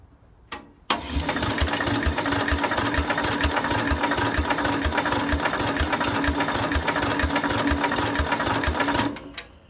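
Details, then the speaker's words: Cub Cadet 129 garden tractor, broken down: fast, even cranking chatter with no firing; spark weak from dirty points, and no compression found. "got spock not that strong for the heck of it [Applause] yeah we lost fire already"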